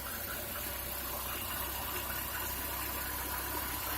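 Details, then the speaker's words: Chevrolet Niva engine idling with the air-conditioning compressor drive belt fully removed; no extraneous noises, runs normally, confirming the noise came from the AC compressor pulley/clutch. "именно там посторонних звуков нету все нормально"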